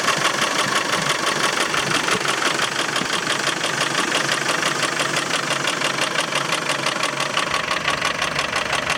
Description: Land rover Defender 300 TDI strange engine noise after timing belt change... loose timing belt? misaligned pully?